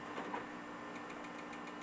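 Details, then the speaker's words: HP Vectra VL400/VL420 desktop optical drive spinning a disc: a fast, even whirring pulse with a rough buzz over it; the drive sounds worn and noisy, and whether it works is unknown. "no idea if it's optical drive even works it sounds like crap"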